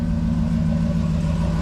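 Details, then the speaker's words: V8 daily driver hardtop after replacing the starter whose floating Bendix drive gear hit the flexplate: smooth, steady low idle with no tinny rattle or metallic chatter; starter much quieter, problem fixed. "much much quiet much more quiet on that starter that's a nice starter"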